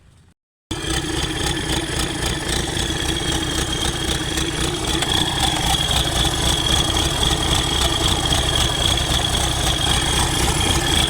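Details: Newly overhauled Isuzu 4BD1 diesel during break-in, starter wired manually with added grounds after earlier no-start: after a brief silence it fires and holds a steady, fairly even clattering idle with a faint high whine throughout.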